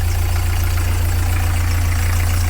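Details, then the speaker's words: Narrowboat diesel at tick-over after replacing an engine mount and realigning the engine: deep, steady even beat, the knock heard before when leaning on the engine is gone; normal idle. "there we go no more knocking going to lean on it and that that was knocking before"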